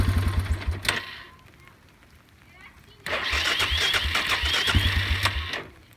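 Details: Suzuki Eiger 400 ATV, hard starting since parked overnight despite new petcock, rebuilt carburetor, adjusted valves, cleaned tank, new coil: two short starter bursts with uneven churn and no firing; cranks but won't start.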